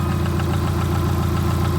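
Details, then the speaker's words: 1989 Subaru GL with swapped-in EJ251 engine at idle, after the bad coil on cylinder four was replaced with a spare: smooth, even low rumble with no stumble or shaking; all four cylinders firing. "So bad coil. Had spare one, put it in. Runs real good now. No shaking. That's great."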